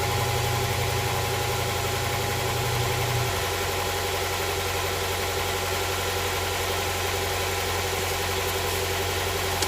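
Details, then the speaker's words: Honda Prelude SH after oil cooler/adapter gasket replacement, oil filter refitted, started to check for leaks: engine catches and settles into smooth, even idle with no knocks or misses; no leak seen after about ten minutes. "all right we gotta give this a try let's start up the engine and see if there's any leakage"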